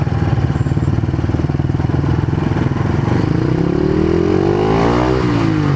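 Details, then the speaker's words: Honda CBR150R whose muffler silencer insert fell out during a ride the night before: harsh blatty exhaust pulses at idle, then a rev climbing in pitch, far too loud. "Pasensya na mga idol mukhang magiging pasaway tayo sa daan ngayon maingay yung tambutso guys"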